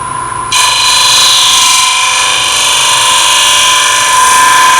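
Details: Lathe turning an open-segment oak and bloodwood vessel at about 1000 rpm, narrow negative-rake scraper with light cuts: steady even hiss without chatter; smoother cut than the previous tool.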